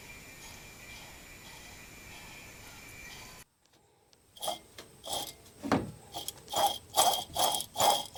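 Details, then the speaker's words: Failed water pump from a 1990 Toyota Pickup 3VZE V6 at 200,000 miles, removed and turned by hand on a silent bench. It gives a gritty clicking rattle in bursts, a couple per second, from a worn bearing. "Yep, that's a bad water pump."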